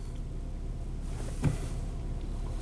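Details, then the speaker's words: 1997 Nissan Maxima with rough idle, long crank and overheating: low idle rumble with an uneven stumble. The EGR valve is flowing or leaking at idle when it shouldn't, despite the EGR valve having been replaced earlier. "EGR s on there should be no EGR float and Jud just judging by that there definitely is"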